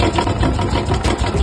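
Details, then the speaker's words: Old Royal Enfield Bullet/Classic 350 single at idle before engine rebuild: uneven, heavy thumping and clatter, unusually loud and rough; excessive engine noise, cause not stated; noise reduced but not gone after rebuild. "तो यार पहले तो आप इसका पहले का sound सुनो कि पहले इसमें कैसा साउंड था और कितनी ज्यादा नॉज थी"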